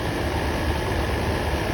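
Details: Land Rover Series 2A just after carburettor clean-up with new needle and seat, charge light now going out: steady, even low idle with no knocks, misses or hunting; the engine runs smoothly.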